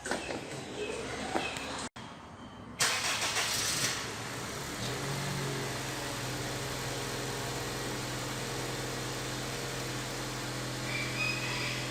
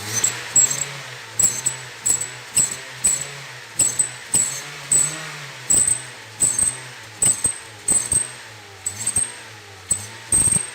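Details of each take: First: Honda New Civic that whistled on acceleration, after the exhaust was replaced: cranks and catches, then settles into a steady even idle with no whistle or rattle; noise gone, normal idle. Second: Honda New Civic with original exhaust, revved with the aftermarket carbon/stainless tip removed: each throttle blip brings a thin high whistle over the revs, gone at idle; since the whistle persists without the tip, it likely comes from the muffler.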